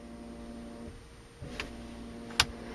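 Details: 1995 Mercedes-Benz W202 C280, ignition on, OFF/RECIRC pressed: soft electric vacuum pump hum drops half a second, restarts with a click, running continuously from a torn fresh-air/recirculation flap vacuum element diaphragm; stops when switched off.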